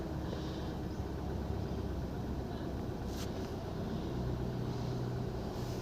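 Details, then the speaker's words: Honda City i-VTEC with check light and idle misfire, code P0303 cylinder 3, after repair; scanner shows no fault codes and zero misfire counts: even steady low hum, no missed beats; normal smooth idle on all cylinders. "ठीक है मिशिंग तो हमारी चली गई है perfect"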